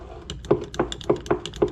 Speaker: y'all hear that so that's telling me that the switch is good the power and ground is good the motor is actually good because you hear it moving okay so basically you just got a broken regulator inside okay